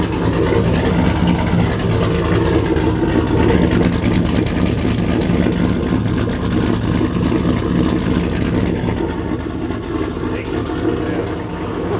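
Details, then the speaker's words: Holden HX one-tonner ute, turbocharged LS swap, first start with no muffler fitted: deep, loud, uneven burble at idle; turbo does not quiet it, muffler planned. "i really thought the turbo would shut it up at least a little bit and it just really hasn't not even a little bit listen to this"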